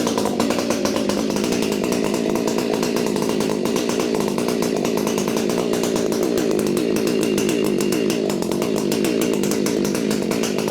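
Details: Husqvarna 592XP chainsaw just fitted with an Undaunted modded muffler replacing the flawed factory one, first run, saw still needing cleaning and new chain: crisp, even high-speed buzz, steady firing, no surging or misfires; healthy running.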